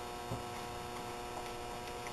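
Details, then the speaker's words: Zuber smoker door seal compressor running: quiet, steady low hum with no rattles or ticks; normal operation. "There's the compressor again."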